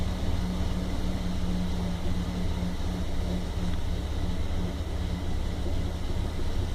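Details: 1997 Toyota Land Cruiser FZJ80 1FZE with a deep idle loping unevenly, pulses stumbling and fluctuating; rough idle that carried to about 2000 RPM, MAF and vacuum leaks checked, owner suspects ECU relearn; no cause confirmed.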